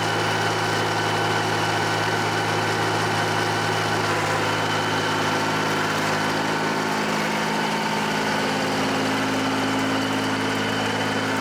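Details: John Deere 350B bulldozer, rebuilt diesel engine after its first start since rebuild, break-in at low idle: smooth, steady idle with an even low drone, no knocking, misfire or hunting; normal low idle.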